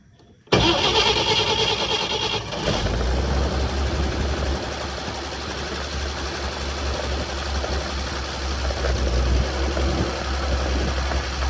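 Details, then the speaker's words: 1950 Chevrolet 4400 dump truck being revived after years of sitting, cold start in neutral with clutch in, gas pumped, on choke: brief crank, catches and settles into steady low idle with even rumble; normal cold start and idle. "It's a neutral, clutch is in. I'm gonna romp on the gas a couple times. And start. Choke action."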